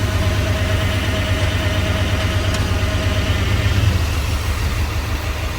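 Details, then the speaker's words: OBS V8 truck that sat for years, just revived, oil pressure good and warming up: a deep, lumpy idle with an uneven beat about twice a second and a stumbling rhythm, shaking badly. Rough idle with a misfire, cause unknown. "I mean, other than that misfire, whatever's making it shake that bad, it seems healthy. Like, it sounds healthy, right?"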